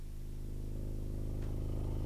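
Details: Skar SDR 18-inch dual 4-ohm subwoofer wired to 2 ohms on a 900 W amp, free-air test after cleaning out sawdust: deep steady bass swells louder with no pops, crackles or dropouts; earlier popping at 25–28 Hz, possibly a connection problem, now fixed.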